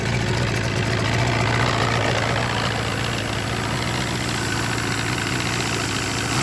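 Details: Force 120 (Mercury) 1999 two-stroke outboard off a Bayliner, warmed up, silencers removed: steady, even drone with no knocks or misses; the motor sounds healthy.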